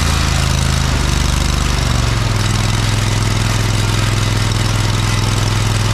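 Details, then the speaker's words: John Deere 317 lawn tractor revived after sitting for years, new fuel line fitted, fuel leak still present (owner suspects cracked fuel pump); steady even low beat about 3.5 pulses a second with no misses, knocks or surging; normal running. "but it did seem like it ran pretty good actually so that's a good sign"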